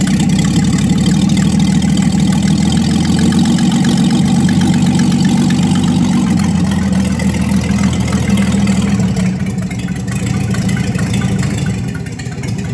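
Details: 1954 Chevy 3100 truck with later-model 235 six, dual carbs, new short-shaft water pump, old gas still in tank: even steady low idle, smooth pulse about two hundred beats a minute, no misses; sounds real good.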